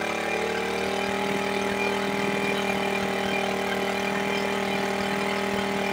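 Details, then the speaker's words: Suzuki Smash 110 carbureted single-cylinder bike after idle/carburetor adjustment for a no-idle problem: ticks over evenly at a steady idle with no hunting or stumbling, no longer stalling as before; normal idle. "nah ini sudah enak ya kedengaran bunyi langsamnya itu sudah enak ya dan tidak mati-mati seperti tadi lagi ya"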